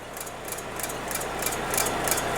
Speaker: the prop shaft, and it's just ticking along on the fuel tank there.